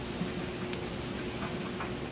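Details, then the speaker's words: Kenmore electric dryer (matching set with washer, being readied for resale) tumbling a load of freshly washed clothes: soft steady hum, level, no knocks, thumps, scraping or shaking; running normally. "Nice and level. No weird noises or shaking. Those are all things you'd want to check. So you can see that it's running great."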